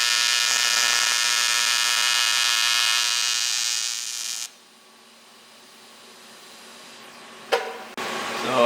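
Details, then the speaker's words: ProTIG 200 TIG welder: steady buzzy arc hiss for about four seconds then dropping out; current set too low, then raised to 200 amps. "that's just not enough current to go crank it up try again 200 amps now"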